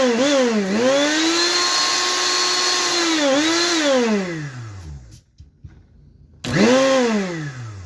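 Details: Mondial blender after replacing the blown thermal motor fuse (motor had overheated, motor itself good): clean whine dipping and recovering with load, brief stop, smooth restart, normal running.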